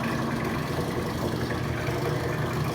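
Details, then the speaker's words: Rotary vane vacuum pump on a neon bombarding/processing bench pulling down vacuum through the manifold: steady, even low drone with no knocks, rattles or surging; normal running, system still outgassing. "sucking down a vacuum. i like it. the pump down there... pumping. good job, pump."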